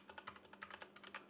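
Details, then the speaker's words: MageGee 60% mechanical keyboard, cheap plastic Temu board: irregular key clacks while typing, each press followed by a faint high metallic ring that hangs on briefly; the key presses themselves sound fine. "it's got this l metallic ring to it like when you press it the sound of the actual keyboard the the key presses is fine it's it's fine but every time you press it there's like this metallic ringing sort of sound"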